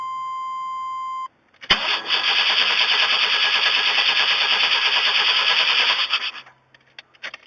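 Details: 1994 Chevrolet Astro after Seafoam, previously running and sometimes dying then refusing to restart; starter whirs about four and a half seconds without catching: cranks but won't start.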